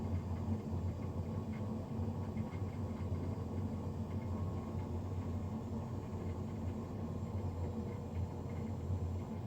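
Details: Navien NCB-240 boiler recorded Feb 3, 2020, three days after a Jan 31 service: steady loud low roar with dense even rumble and no rhythm; combustion fan unusually loud, cause unclear.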